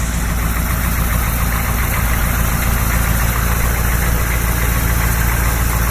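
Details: 1986 Chevrolet K30 M1008 military diesel truck on 37-inch tires, some engine rework done, true dual exhaust: steady, even diesel clatter at idle with no misses or knocks, a healthy idle.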